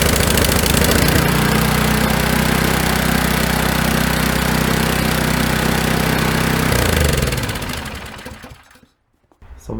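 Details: Snow blower small engine in the carburetor-jet no-start fix after summer storage: steady, even chugging at constant speed for about seven seconds before winding down; running normally.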